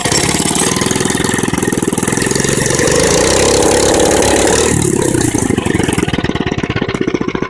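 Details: Mini bike engine revved: a rapid, harsh popping beat swells as the throttle opens, then settles; it got much louder than before, and the owner doesn't know why.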